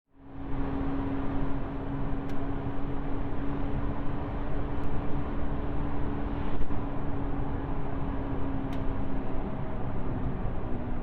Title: alfa 159 2.4jtdm front wheel bearing sound, i replace and noise gone.